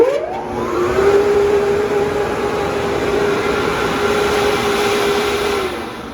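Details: Spencer model 201Q-H air agitation turbo compressor blower, 10 hp, 460/480 V three-phase, 3480 rpm, 700 CFM, 15 psi, tested: quick spin-up, then steady rushing air and a constant hum with no rubbing or rattles; running normally.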